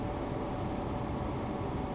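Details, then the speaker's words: Modern gas furnace after igniter replacement: steady even inducer and blower rush, no rattle or squeal, as new igniter glows and lights gas with a nice blue flame; normal startup. "See that? That's the igniter glowing. There we go. Ignited that gas. Nice blue flame."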